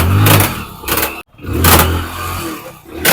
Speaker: जो चैन सेट है चैन set skate वो का ज्यादा घिस गया है इसके वजह से जो है ये प्रॉब्लम कर रहा है